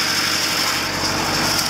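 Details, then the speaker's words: Lada engine idling after a new timing chain: steady, even idle with a constant high whine, which the owner attributes to the belt; no knocks or misses, and the old chain noise is gone; normal idle. "and now when we have this six six plate F belt it's keeping quite funny sound but yeah now the timing chain don't make that kind of noise but like it's made the previous because now it's new"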